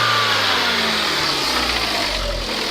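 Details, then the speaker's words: Hyundai YF Sonata revved during a used-car inspection: steady, smooth roar under rising revs with no rattling ticks like the faulty K5 made; engine healthy, though the car had an accident. "자, 이 차는 엔진에 문제는 없습니다. 똑같이 RPM을 올렸는데도 따라락 따라락 소리가 안 나게 정상적인 소리가 나요. 우르렁 우르렁."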